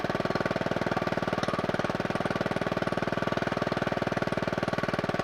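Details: Scooter-engine reverse trike after years sitting, ignition rewired, oil checked, no coolant in it: quick, very even pulses at a steady idle with no misses or knocks; runs cleanly.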